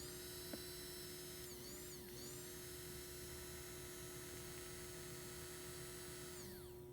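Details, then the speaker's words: 2001 Toyota Sequoia fuel pump, failed at 217,000 miles, bench-powered directly from a battery charger: thin electric whine that runs, then winds down and dies. Intermittent pump failure; a bad connection is also suspected. "it's dying that's a bad connection well it's working good now"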